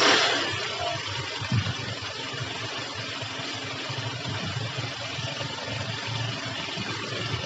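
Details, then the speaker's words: Yamaha Jupiter MX that started then died, after a new original regulator/rectifier was fitted and fuel topped up: idle rises high on its own without adjustment, fast steady single-cylinder idle with no hunting; high idle speed, carburetor setting suspected. "teman-teman dia langsamnya langsung ini ya langsung gede sendiri nih jadi enggak enggak saya setting udah gede sendiri dia"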